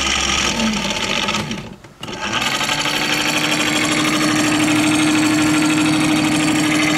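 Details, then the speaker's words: Prowler 55 lb thrust trolling motor that has been losing power, won't run in reverse and has a dinged prop: a harsh, gritty whir with a rising whine; noisy running motor, cause unclear. "um the the props a little got some dings in it but that's not what concerns me it's the noise this thing's making listen to this"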